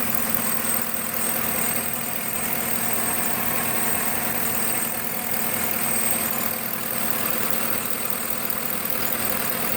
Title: 5.3l Chevy. Vacuum leak?